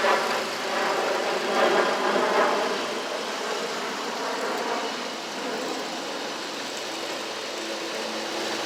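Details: Scag Tiger Cat II zero-turn, Kawasaki FX691V twin, after repair of bent push rods, broken cylinder-2 rocker holder, stuck choke and clogged fuel filter, driving along: steady even engine note, no misfire or popping, both cylinders firing; normal running.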